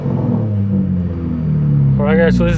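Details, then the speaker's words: 2016 Dodge Challenger 3.6L, crank-no-start from faulty fuel pump: deep steady rumble with a clean rev blip that rises and settles smoothly; engine sounds healthy. "so that's pretty much the fix guys need a fuel pump i'll go ahead and rev the engine"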